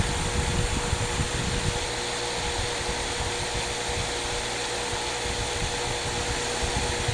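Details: Loose cotton buffing wheel with green compound: steady hum with airy rush at even pitch, no clear load change; buffing wheel running normally.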